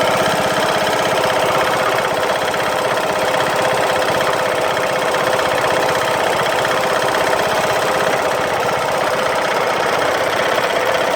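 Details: Craftsman LT2000 lawn tractor Briggs & Stratton engine, after replacing a broken camshaft and timing gear, runs with a loud hard regular knock about four a second over its drone; cause not yet found.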